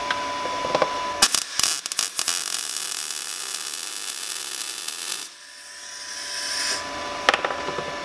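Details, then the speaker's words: Everlast Power i-MIG 140E MIG welder on a vise-clamped piece, welder tuning by sound: about four seconds of steady frying-bacon crackle without popping or sputter, a normal, well-tuned MIG arc. "I'm gonna kind of work off the noise. I kind of forgot to listen to that the first time, but yeah, let's just keep welding."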